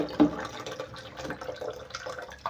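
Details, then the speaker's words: Toilet tank refilling after overflow repair, refill pipe not yet in the overflow tube: loud irregular splashing and trickling of water falling freely into the tank; noisy refill, quieted by placing the pipe inside. "So if I just place my pipe inside there, just like that, I don't have to hear the water entering the tank, that sound."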